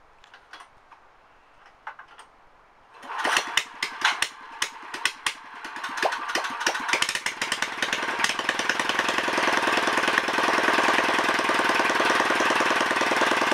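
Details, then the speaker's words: Honda ES4500 generator engine test-fired after rebuild, no exhaust fitted, choke on: catches after a few pulls, sharp even rapid popping settles into steady fast run; healthy, loud without exhaust. "sounds good guys looks like we got a running motor again"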